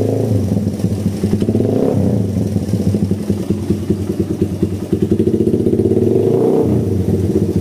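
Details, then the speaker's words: Suzuki Satria FU motorcycle, rough clutch, heavy pull, hard morning starts: engine stutters and sounds hollow on gentle throttle with a faint tick; exhaust too large for the stock vacuum carburettor. "Kondisi awal ngericik tipis sama kalau digas pelan dia jeda-jeda ya, kosong deder."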